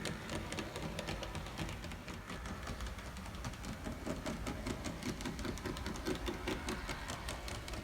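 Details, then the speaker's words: N scale Bachmann Plus F7 locomotive with cracked gears on track: faint motor whir with uneven clicks about twice a second that come and go; runs poorly from broken gears, motor and worm gears fine. "so let's see how this runs so no surprise it runs pretty poorly so that's what you get with a set of broken"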